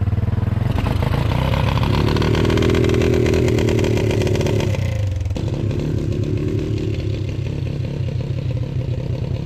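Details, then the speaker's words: Four-wheeler engine swapped into a 1991 EZGO golf cart: small single revs and drops back with a ragged, uneven beat; it ran poorly because the choke was left out. "It ran like crap. The video I took, you could probably hear that it wasn't running very well. And it was actually because I had the choke out and didn't realize it."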